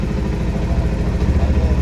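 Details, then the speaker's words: Bajaj Pulsar BS6 motorcycle idling in neutral with a steady, even low thump, no stumbles, after cleaning and refitting the side-stand sensor that had been cutting the engine when put in gear. "Okay neutral అయింది బండి అనేది start అయిపోయింది"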